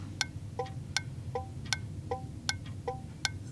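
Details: 1981 Chevy, key on and engine off, second HM 552 thermal flasher replacing the factory Tung-Sol 224: crisp, even clicks about 2.5 per second alternating tick and tock; cycling properly.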